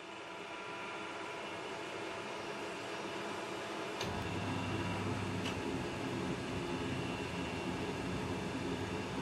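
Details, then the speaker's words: Home oil burner, running about 15 years, in basement: steady whirring rumble getting louder and rougher a few seconds in; bearings wearing out, to be replaced with a used lower-hour unit. "It has been running something like maybe 15 years. And it's starting to lose the bearings from somewhere. So we need to change it."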